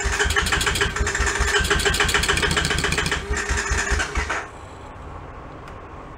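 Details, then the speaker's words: Honda Sport Trac ATV, cranked by jumping the starter solenoid with a screwdriver, choke on, reverse lever unhooked: about four seconds of steady rapid starter chugging, never catches; cranks but won't fire, suspected switch not on. "feel like we got something not turned on. Damn it. Yeah. Not sure. I'm going to look for a switch."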